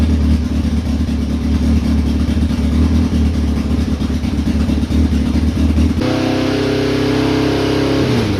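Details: 2002 Yamaha Fazer 1000 motorcycle, cold start after sitting over two months, fan switch not working: catches and holds a steady, even idle, then revs cleanly and settles with no knocks or misses; normal running and revving.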